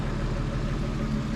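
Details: 1988 Jeep Comanche after its Ford 9-inch rear axle was rebuilt: quiet, even idle with a smooth low hum and no ticking, knocking or stumbling; the engine sounds healthy and is running well.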